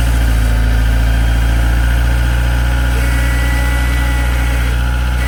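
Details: Mitsubishi Eclipse cold start at 5°F, first running in six years since an engine failure: steady, even idle with a low, smooth beat and no knocks or misses; normal idle.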